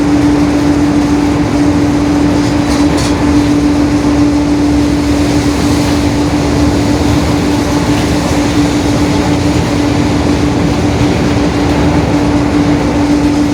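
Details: 2021 Marcopolo Torino S bus on a Mercedes-Benz OF-1721 BlueTec 5 diesel chassis, in motion: steady mid-pitched drone held through the whole run over road and engine noise; differential whine (roaring differential).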